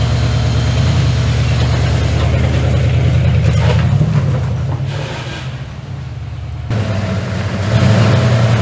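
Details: 1981 Ford F100 V8, revived after sitting 24 years and due for a rebuild: rough running with a heavy regular low knock over the idle, dipping as revs fall; bearing knock.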